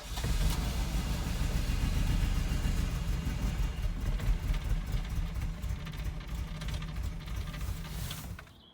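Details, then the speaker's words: 1983 Ferrari 308 QV, Bosch fuel injection, with cold start valve bypassed to constantly deliver fuel: engine spins over unevenly with occasional rough chuffs that never catch; crank no start with sporadic firing, bypass made no difference. "I'm still sporadically getting the engine turning over chugging a few times and then D in that makes no difference really at the moment"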